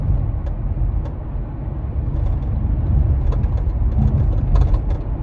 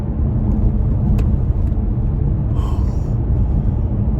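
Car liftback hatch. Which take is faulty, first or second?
first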